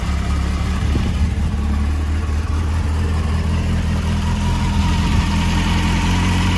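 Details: 2007 Honda CBF600 N-6 idling after a water pump leak repair, running to bleed the refilled cooling system: a steady, even low rumble with no knocks, misses or surging. Normal idle.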